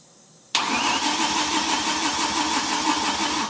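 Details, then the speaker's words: BMW E31 with swapped S85 V10 on SCS Delta 880 standalone, first start attempt after nearly ten years: starter churns evenly about three seconds without firing despite fuel pressure applied while cranking; owner suspects injectors unpowered and not opening. "so there really isn't anything that should stop this from working except perhaps and I haven't done this yet is that yeah I've got fuel pressure going into the rail but the injectors aren't opening"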